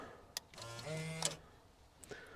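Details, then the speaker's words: Rolls-Royce Silver Spirit III central locking worked by a newly programmed Bridgwater replacement remote (blue LED), shown beside the old red-LED remote: a sharp click, then about a second of actuator whirr ending in a solid clunk. The locking responds normally. "And you can hear there that my new remote is working."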